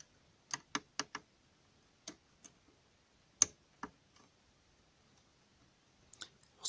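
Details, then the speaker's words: Double-bit key safe cabinet lock being picked, 8 levers; about a dozen small sharp irregular clicks over several seconds in quiet room as levers shift, a good sign, though levers can jam and the mechanism must not be blocked. "entend c'est petit clic toujours bon signe les gorges se déplacent mais quelquefois se déplacent se coince un endroit il faut pas bloquer le mécanisme"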